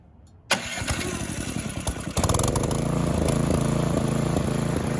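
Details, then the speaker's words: Snowthrower engine after a carburetor cleaning, still cold, started on full choke with the electric starter: it catches at once and runs with a mild rhythmic rise and fall in speed, slight hunting that smooths out once the impellers are loaded; otherwise healthy. "That a win. If you noticed, you hear it hunting a little bit. Now the carburetor is perfectly clean. Once you put a load on it, once you set the impellers in motion, it smooths that out."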